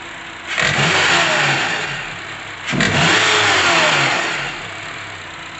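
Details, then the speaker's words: 2012 Honda CR-V: knocking from the upper engine/valve area, only at start-up or when the throttle is pressed. It seemed like the VTC actuator or timing chain, but the cause was a badly worn serpentine belt; replacing it cured it. "no lo hace solo es cuando se prende o cuando se pisa el acelerador pero una vez prendido no lo hace"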